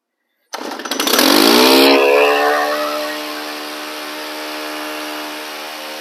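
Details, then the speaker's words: Two-stroke handheld (weed eater/blower/chainsaw type) started on half choke, running at about half throttle just off idle; catches on first pull, revs hard, then a steady, smooth high buzz at fast idle; normal start and fast idle on choke. "now when you crank this engine up it's going to be running at about half throttle or just off idle"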